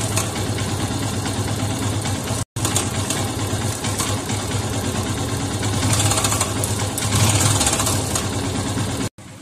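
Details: Yamaha FZS V3 motorcycle at idle. Loose metallic clatter over the firing beat, identified as cam chain noise, not throttle noise; tightening the tensioner reduces it but doesn't eliminate it. Timing chain rattle.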